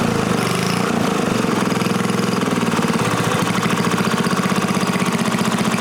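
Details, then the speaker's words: New-old-stock Briggs & Stratton 5HP dual-shaft aluminum-bore engine, rebuilt, after fixing a no-start caused by the throttle plate closing fully and idle speed set too low; putting along with a steady, even exhaust beat, no misses or knocks, running properly. "simply running really good and if the problem reason it wasn't started the throttle plate was closing all the way the idle speed was descent way too low so that's what the problem was"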